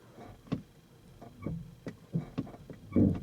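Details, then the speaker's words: Kia EV3 GT Line S after one year, in i-Pedal stop mode, lightly touching accelerator; irregular sharp creaks and clicks, about eight in three seconds, coinciding with brake lights switching; owner suspects brake servo mechanism, not confirmed. "And you can hear that. Seems to coincide almost with the brake lights coming on and going off."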